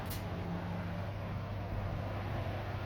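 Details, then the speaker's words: 1960s Zero 20-inch box fan with metal blades, restored, running on low speed (2-speed push-button model): smooth, steady low drone with even airflow; it no longer knocks and rattles like before restoration; normal running. "You can tell it no longer knocks and rattles around like it used to."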